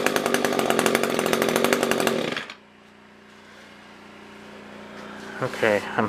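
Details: SRM-210 trimmer after carb replacement with new filter, plug, fresh gas and handle: crisp high-rev buzz then clean drop to a steady low idle; normal running.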